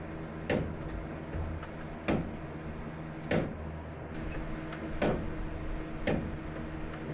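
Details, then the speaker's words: BMW M3 with a loud, worsening click about every second and a half when steering off centre, source under the car not yet found, suspected worn steering or suspension joint; clicking when steering. "Last is there's this really loud clicking and you'll I'm sure you'll hear it when I'm turning off of center."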